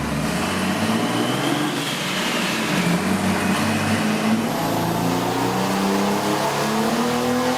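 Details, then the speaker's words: Chevy 4.3 V6 junkyard turbo swap in a 1971 Datsun 240Z on the chassis dyno, 430 lb-ft and 387.4 hp at the wheels: deep, even roar climbing through a full-throttle pull, no misses or knocks; sounds like a diesel. "that's about a 450 power V6 and it sounds and smokes like a Mac Truck it sounds like a power stroke diesel"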